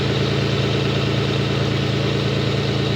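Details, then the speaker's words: Toyota 1MZ-FE V6 first start after engine repair, warming to operating temperature: loud raspy idle with rapid even puffing from an exhaust manifold leak, smoke billowing, no knocks heard. "Not picking up on camera, that's weird. And it's making a heck of a lot of noise. But as far as I can tell, no knocks."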